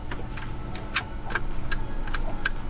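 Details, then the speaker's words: Phasor marine generator during reassembly after fuel pump work: crisp light clicks about every half second over low hum as the fuel shutoff solenoid activates normally; it pushes harder than desired. "and I could hear it activating it. It really doesn't have to move too far."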